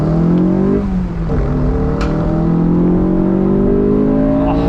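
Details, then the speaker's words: Honda S2000 AP1 accelerating with the airbox lid removed: the intake roar climbs in pitch, then hardens and grows louder partway up the revs at the VTEC crossover, normal. "and you get to hear that crossover. Never get bored of that."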